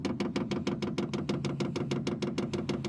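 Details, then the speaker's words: Vevor 8kW diesel heater, first startup on 12V via inverter, self-priming during 300-second countdown: crisp, even ticks about three per second from the dosing pump, not overly loud, stop once priming ends; normal fuel pump priming ticking. "that's not overly loud and that goes away once it starts you know once it's done priming yeah the the ticking I think no ticking anyway"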